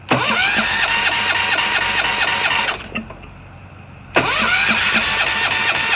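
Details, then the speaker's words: Allis Chalmers 716 hydro garden tractor on a cold, snowy day: the starter spins the engine at a quick steady beat, pauses, and cranks again, but it never catches, even with starting fluid. The owner suspects a spark issue. "i take it that'll be a no i'll just give her a little bit of sauce ah how does something not start with starting fluid like really how is this possible"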